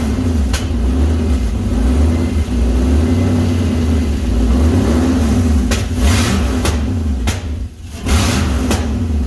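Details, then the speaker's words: Toyota Toyoace truck with swapped 6-litre V8, first start in truck with new exhaust and fuel system: deep uneven rumble with revving blips, no settled idle, smoking as oil burns off, possibly some exhaust flames; rough running on first start. "It's smoking here, burning all the oil off and chucking it out of the fan."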